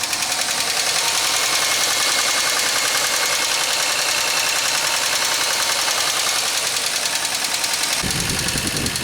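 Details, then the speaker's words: 2003 Pontiac Grand Am GT coupe at idle with coolant-contaminated oil and low coolant: fast, uneven tapping about 2.5 per second over a rough idle; loud knock, owner suspects upper-end noise rather than rod knock. "I think that'd be a whole lot worse if it was a rod knock. But it runs. So maybe it is salvageable."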